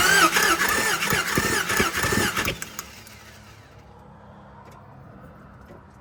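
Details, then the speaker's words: 1999 Dodge Ram 1500 with a 5.2 (318) V8 and 5-speed, during a compression test to diagnose a years-long cold misfire. Cranking on cylinder 2 gives a light, quick whir with no firing. Cylinder 2 read 150, which is strong compression. "oh obviously engine sounded funny cuz it's got one spark plug in it but that was 150 on cylinder 2 which is phenomenal compression"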